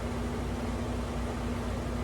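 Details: Window AC unit after cleaning, dirt dauber nest removed from the fan blade: steady low hum with soft air whoosh, no rattle or wobble; vibration gone, running smooth.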